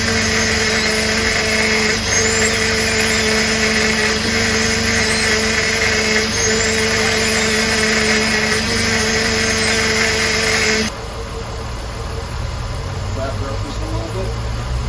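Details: 2004 Jeep Liberty after replacing high-pressure power steering hose, bleeding while running and turning wheel: steady high pump whine, possibly from air in the system, dropping away as the load eases.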